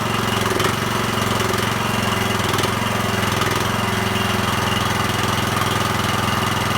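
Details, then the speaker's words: Small single-cylinder mower engine after a half rebuild fixing no compression: holds a steady even chug at constant speed, no misses or knocks. Running properly. "all right that sounded pretty good it was a bit a little bit chuggy there at the start but it seemed to clear out"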